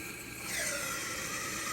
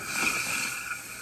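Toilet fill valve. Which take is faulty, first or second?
second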